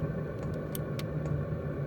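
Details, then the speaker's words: Portable camping diesel heater about six minutes into a burn, past full warm-up and ramping down to its set point. A steady fan rumble carries fuel pump ticks at one pulse per second, running normally. "coming back to my actual set point of one which is one pulse per second and that's the fuel pump so the fuel pump pulses one pulse per second that's the amount of fuel and then it runs the fan to maintain proper burn temperature"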